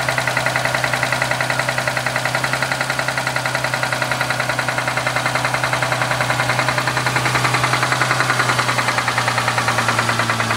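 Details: Mustang at idle: fast, even ticking knock of roughly two or three beats a second over a steady idle; engine knocking, owner suspects valvetrain but is not certain.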